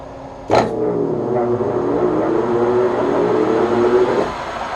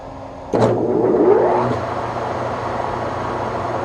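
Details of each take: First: Webb Whacheon lathe on a phase converter, switched to 1800 rpm setting: motor spins up with a rising whir, runs a few seconds, then cuts out as the converter's safety trips; owner suspects too much load on the lathe motor. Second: Webb Whachoen lathe on a phase converter, low speed setting about 285 rpm: motor spins up quickly then settles to a steady, smooth hum, no knocks or grinding; normal running before trying 1800 rpm, which trips the converter.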